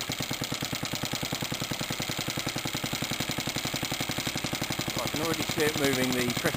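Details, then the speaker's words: Suffolk stationary engine in a compressor set, first test run with a new pulley and a temporary belt. Even chuffing at about four beats a second, steady under compressor load as tank pressure builds; successful run. "Well, there we are. I think that's a successful test run."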